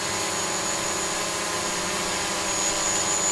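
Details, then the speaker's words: DJI Mavic Pro hovering with three broken propellers: a high buzzing rotor whine with a slightly wavering pitch as the motors keep correcting. The hover is unbalanced and a little wobbly. "a little bit wobbly, and I can hear it. Its propellers sound uneven, like it's, you know, clearly. The computer's doing a good job though, dealing with the fact that the propellers are broken."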